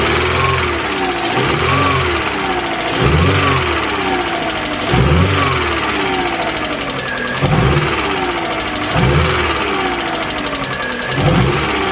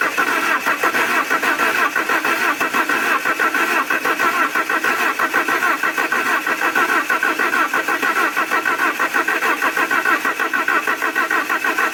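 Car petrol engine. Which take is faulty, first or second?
first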